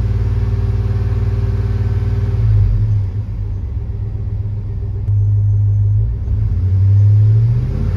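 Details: Chevrolet Tahoe at idle during oil pressure check, tester showing just under 60 psi while the dash gauge reads 45: deep, even rumble with gentle swells, no ticking or knocking; normal idle, gauge suspected inaccurate.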